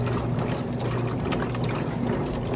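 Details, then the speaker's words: Kenmore stacked laundry center washer, lid open with the lid lock switch taped, tub filled and agitation starting: sloshing water, low motor churn and rhythmic swishing as the agitator kicks one way, no knocking or grinding; normal agitation. "Now it's just getting started agitating. You see how that agitator only kicks one way? That's how you know it's actually doing its job correctly."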